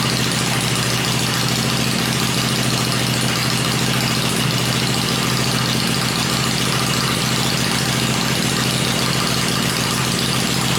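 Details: Freshly built 96-inch V-twin with Edelbrock heads on an engine run stand, cycled through revs before going in the bike; stand shakes at lower revs; even, steady beat held at fast idle, no knocks, ticks or misses; normal fast idle.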